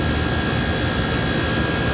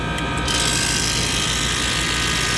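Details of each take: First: Prep table multiplex, one condensing unit for two regions, while charging refrigerant: even unbroken rushing hum with faint steady high tone, no cycling off or rattles; running healthy after opening closed valve. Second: Prep table refrigeration condensing unit at start-up after rewiring: a harsh, ragged rattle and hiss from the compressor, running rough from damaged valves.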